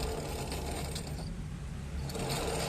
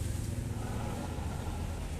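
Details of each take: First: TVS Jupiter scooter (new model) with the rear wheel spinning: a dry, rhythmic chirping about three to four times a second from the clutch or wheel area, present for many days. It traces to a worn clutch pulley bearing. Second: TVS Jupiter scooter after clutch pulley repair, idling: steady low engine hum with the earlier chirping from the clutch/wheel side gone; drive smooth and quiet.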